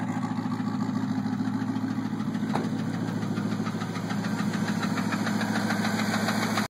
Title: Ticking sound